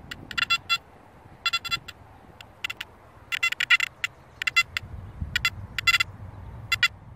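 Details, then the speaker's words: Makro Multi Kruzer metal detector in 4-tone mode at gain 90, coil held still, speaker output: irregular bursts of high chirpy tones several times a second; threshold chatter from gain set too high, tiring after about 2 hours in earphones. "that noise there is constant. You put it in your earphones, it's even more, it's louder, it's more centered, and after about 2 hours I just can't take it anymore."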